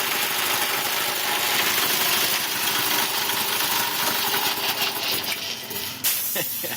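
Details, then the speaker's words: Quincy 220V air compressor running again after replacing an open-circuit 30A fuse that showed no blackened window; pumps hard with a fast rattling beat and a faint belt squeal after sitting unused, belts still gripping. "I can hear the belts kind of squealing a little bit in the background. That's how they've been gripping, but beautiful."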